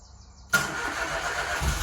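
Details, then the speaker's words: Peugeot 108 salvage non-runner after its oxygen sensor, whose wires had cut through against the heat shield, was disconnected: quiet fuel pump buzz, then a sudden catch and even, steady running; it starts cleanly. "Well done, mate. Perfect. That is it now. It is a runner."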